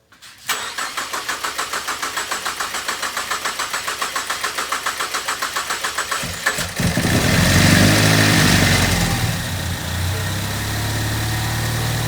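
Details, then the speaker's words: Ford EcoBoost engine at first startup after reassembly: steady cranking pulses for about six seconds, then it catches and runs loud and uneven. Cam timing was off because the crank was not pinned at top dead center when timed. "so I decided to go ahead and pull it apart and retime it which the issue was I didn't put the crank on the crank stop Pig which is what you have to do when you time it to make sure everything's at top dead center"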